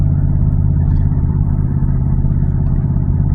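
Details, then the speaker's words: Car with an exhaust leak, driven after sitting, engine previously had a tick, dashboard warning lights on: deep, throaty, harsh truck-like rumble under throttle with no crisp note; the exhaust leak causes this sound. "Granddaddy sound really crazy, don't he? And that's all due to the exhaust leak, y'all. That's the exhaust leak that's doing that."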